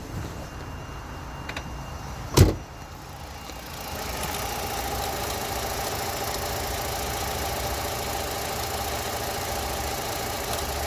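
After a door thump the engine settles into a steady idle with a faint repetitive knock underneath; source still undiagnosed.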